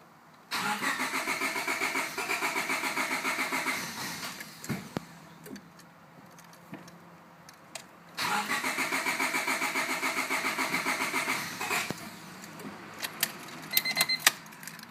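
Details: 1998 Honda Civic LX cranks in two long bursts but never catches, no start; fuel filter and main relay replaced, fuel flow and spark confirmed good, cause unknown.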